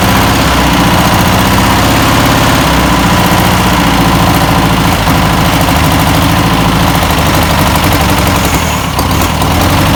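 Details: 1962 VW Type 2 bus air-cooled engine, first start after over 40 years, with new belt, cleaned points and fuel poured in: loud, even chatter at steady idle, constant beat, no misses or knocks; normal idle.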